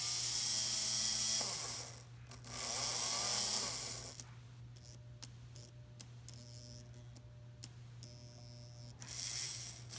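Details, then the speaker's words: Märklin SK 800 toy car (about 1945) after a part was glued in place. The clicking is gone; the motor whirs up smoothly forward and reverse with no catching, and the wheels are possibly a little tight before re-oiling. Normal running. "as you can hear our clicking is completely gone that is a great smooth running motor"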